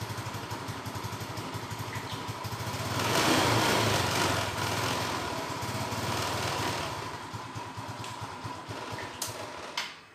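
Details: Yamaha Nouvo LC scooter that loses throttle response and stalls, sometimes won't start: engine surges unevenly when throttled, note sags and fades out as it dies; dirty air filter checked as a possible cause.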